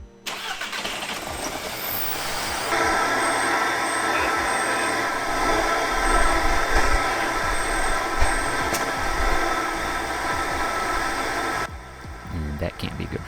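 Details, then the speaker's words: Audi A3 engine, 183,000 miles, fitted with the wrong PCV/oil separator part: it cranks, catches and settles into an uneven, lumpy run with a hiss. This is rough running from a crankcase vacuum leak caused by the incorrect PCV part. "in case you're wondering what happens if you put the wrong PCV part onto the car here's what it sounds like"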